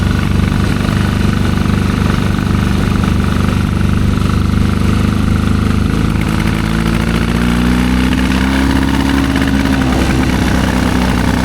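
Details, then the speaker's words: 1972 Triumph Bonneville 650 twin, long unridden, first ride after revival: ragged, uneven beat that stumbles and won't build revs, barely quarter throttle, breaking up badly. "Yeah, it's breaking up pretty bad. He needs some more tuning before we go too much further, it looks like."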